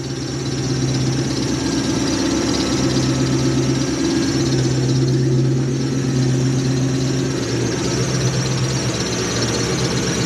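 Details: Toyota 1UZ-FE V8 swapped into a Hiace van, built about 2005, idling after wiring repair with no tune changes (previously chuffy): steady, even low rumble, no stumbles or chuffing; normal smooth idle.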